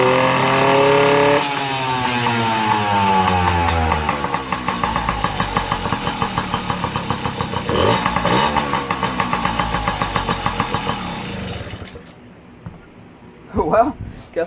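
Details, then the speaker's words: Yamaha PW50, sat in a shed for years, fires straight up on choke in start mode after a fuel flush, no carb clean needed; revs and drops back to a regular buzzy idle before shutdown, healthy normal start and idle. "don't have to get in the carp here after all"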